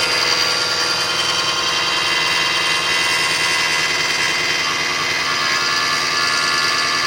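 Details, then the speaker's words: 2005 Kia Sedona 3.5L V6 after timing belt, tensioners, idler, water pump and balancer replacement, no accessory belts: hissy high-pitched whir appears about a minute after start on high warm-up idle, fades with raised rpm then returns; source unidentified. "So it goes away when you bring the RPMs up, but then it comes right back. So any help on what this could be, I'd really appreciate it."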